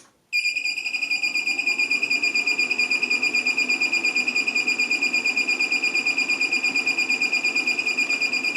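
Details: LaCie Biggest FireWire 800 enclosure (believed 2007), bought used as working, with one hard drive fitted that won't spin up: a high beep pulses about three times a second as the unit keeps dropping and regaining power; cause unconfirmed.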